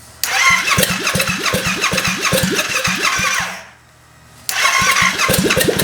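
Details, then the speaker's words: 700cc Yamaha FZ-07 engine in a Honda Grom build, first start, no coolant system connected, open exhaust; cranks, catches quickly, settles into crisp even idle with sharp pulses and quick clean revs, runs great. "But this thing sounded amazing. It idled super well. It revved up really quick, nice and perfect there. So this engine runs great."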